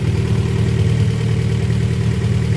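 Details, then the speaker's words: Honda Prelude engine, sitting a while, run on its existing harness: a smooth, even petrol idle with no knocks, ticks or misses, holding about 40 psi with no leaks and no check-engine light. "car's on, no leaks anywhere. I got about 40 psi."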